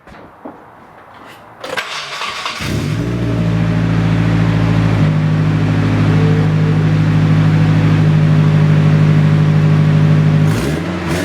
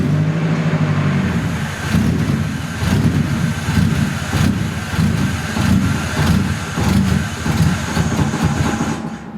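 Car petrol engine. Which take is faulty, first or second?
second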